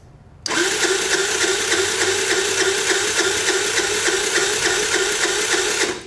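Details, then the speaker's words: Wolf RX50 Chinese scooter engine with just under 2,000 miles, cranked during a compression test with a gauge in the spark plug hole: fast, light, even whirring with hardly any resistance. It reads about 30 psi against a normal 150 psi, too low to run. "so this thing makes about 30 lbs of compression that is way way way low you know average compress for these motors about 2,000 mil is about 150 psi"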